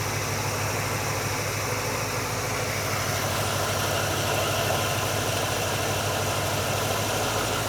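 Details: GMC truck V8 with an Edelbrock VRS-4150 650 CFM carburetor replacing the 950, idle mixture and speed set: steady, even idle rumble at settled speed, no misses, knocks or hunting; healthy, ready to drive.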